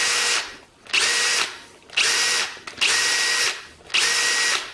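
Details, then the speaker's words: Milwaukee 2607-20 cordless hammer drill comparison: a different drill spins in short bursts, each ending in a light clink as the chuck stops, occasionally more pronounced; normal, nothing like the Milwaukee's rapid shaft-lock clunk that loosens its chuck. "so you get it a more pronounced one every now and again but it's still nothing like the milwaukee"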